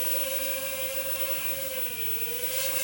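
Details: Ming Ji MJ102 Spy micro quadcopter indoor flight: steady high whir from small props at one even pitch with slight dip; smooth, stable hover.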